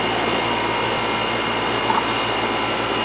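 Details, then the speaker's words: Outdoor AC condenser for the first floor, reported running but not cooling; after the initial fault the unit is left running to check charge: steady airy fan rush over low even compressor hum, no buzzing or clatter; running normally. "so let's we we'll let it run and we'll see what the charge does in a minute here but so far that was definitely a problem"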